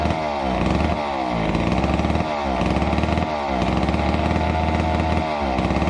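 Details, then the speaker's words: Neglected old McCulloch Super 250 two-stroke chainsaw revived: buzzes along, revving up and settling back about once a second, crisp and even without stumbling; healthy running. "as you saw with the 250 we got it up and running really nicely it it purred along and um seemed to run fairly well"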